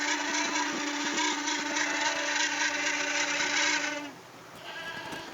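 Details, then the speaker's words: Polytron showcase refrigerator icing up, top section: loud rasping squeal with a steady tone and rapid chatter, about four pulses a second, then cuts out; the evaporator fan is the cause. "Kemudian bisa dilihat yang bunyi ini kipas atau yang lainnya, tetapi ini yang berpotensi bunyi hanya kipas. Jadi ini sudah pasti kipas."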